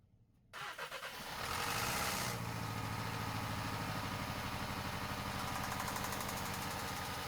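Starts and settles to idle with a sharp, regular knock about three a second that stays with the belt off: a worn rod bearing.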